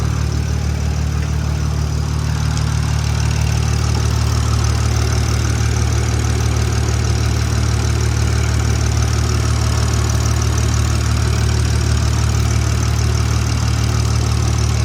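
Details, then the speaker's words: Modified turbocharged Toyota Supra, hot, checked underneath for exhaust leaks: deep even idle with steady low rumble, no puffing or ticking at joints; exhaust sounds sealed, normal idle, no leak found. "All right. Well, I don't see or hear anything obvious."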